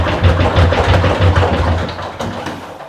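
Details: Washing machine (Bosch or LG): heavy low thumps about three times a second as the drum spins. Cause is three worn shock absorbers with crumbled seals, replaced with round ones.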